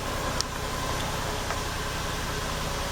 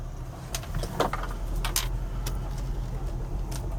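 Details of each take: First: 2000 Lexus RX300 with P0300, P0302 and P0304 codes, flashing check engine light, after swapping coils: uneven stumbling idle with irregular dips; misfire moved to cylinder 4, confirming a failed ignition coil. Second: 2000 Lexus RX300 on test drive after ignition coil replacement for P0300/P0302/P0304 misfire codes: steady low engine hum with no stumbles, check engine light off; runs smoothly after repair.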